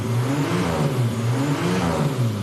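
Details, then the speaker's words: Turbo Buick V6 built for '87 intercooled power with Flowtech ceramic-coated turbo headers, first fire-up after fuel priming. Crisp rev climbing and settling back with even firing and no knocks or misses; sounds sweet. ">> Sounds awesome. >> Sounds sweet."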